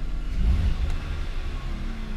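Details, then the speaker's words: BMW E46 325xi wagon, revved after crankcase ventilation vacuum-leak repairs, intake sensor code cleared: a short, smooth low rumble as it is blipped, pulling cleanly with no stumble or misfire. Normal revving. "it sure does seem so this engine feels really really strong"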